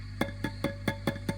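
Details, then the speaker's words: Old Fender Princeton Reverb with squealing and feedback complaints: tapping a preamp tube with a toothbrush sends sharp knocks with a ringing tail through the speaker over steady hum, even at zero volume. The preamp tube is microphonic. "oh listen to that you can hear that coming through now listen to the difference when i turn the volume all the way down oh that's still coming through"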